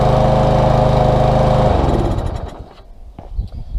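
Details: Small engine stored September to June, wouldn't start; after cleaning the varnished carburetor jet with carburetor cleaner and compressed air. Runs steady and even under two seconds, then winds down to handling noises; normal running.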